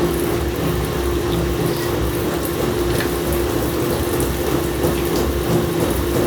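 Heavy continuous low rumble with steady tone and faint rattles while running; the machine is shaking abnormally, cause undetermined.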